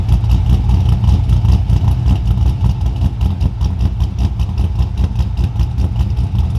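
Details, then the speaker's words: 2002 Pontiac Trans Am with a 383ci LS1 stroker after a harness fix, 40 psi oil pressure: an even deep V8 idle with a quick rev that drops back smoothly, no knocks or ticks; healthy. "We'll go out here in a few minutes and get some idle clips for you and let you guys hear that thing. Try to get you guys a cold start real quick."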